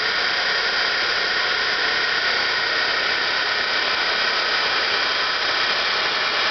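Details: Electric vehicle DC motor, run from 12-volt AGM batteries during brush break-in: steady even hiss and whir, no knocks, still noisy but much quieter than at first setup; brush seating noise during break-in.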